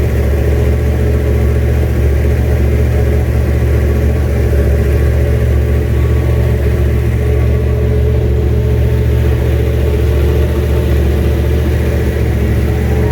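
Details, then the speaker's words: 1967 Mustang, junkyard 351W turbo V8 with new headers, first fire-up: steady lumpy low idle with slight surging, no knocks or ticks; sounds rough, owner says it needs a tune. "well there she is fires up definitely needs a tune ha feels good stop making any weird noises"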